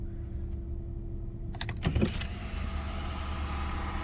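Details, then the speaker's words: BMW 735i started after sitting two to three weeks, before inspection: a few clunks from movement in the car over a quiet, even idle with no knock or tick; heavy smoking noticed later; normal idle. "the engine sounds good perfect so let's drive it on the other side into the garage"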